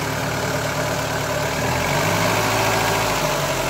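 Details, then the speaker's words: 2000 Mark 5 Ford Fiesta 1.3 Endura OHV petrol engine idling, smoking: light loose tapping and clatter, valve tapping from excessive valve clearance, before valve clearance adjustment. "can hear it like the tapping, clashing, like something's loose."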